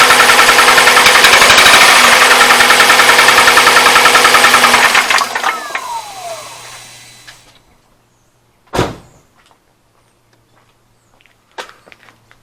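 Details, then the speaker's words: Astra engine, about 1,000–1,300 miles driven in it, cold start: loud, fast, even metallic rattle for about five seconds then fading, owner thinks it has worsened; cause unclear, engine about to be replaced. "And I thought I'd just do a quick cold start just so you can hear it rattle, because I think it's a lot worse than it was."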